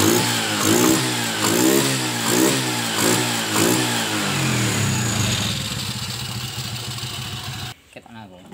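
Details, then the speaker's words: Kawasaki Kaze motorcycle after switching only the ignition to a DC CDI; revs cleanly in repeated blips about once a second, rising and falling freely, then settles to a steady idle; throttle feels lighter, normal running. "Setelah pemakaian CDI DC gas-gasnya sangat lebih enteng ya ukiran nanti buat tarikan pasti tidak akan mengecewakan ya teman-teman"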